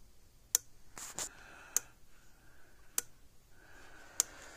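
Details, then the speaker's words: Zareba TSC Hol-Dem 50 Mile 2 joule fence charger, about 28 years old, after repair with a new capacitor, replacement transformer and resistor, now about 9.5 kV: sharp single clicks about every 1.2 seconds, evenly spaced; pulsing normally. "Clicking right along."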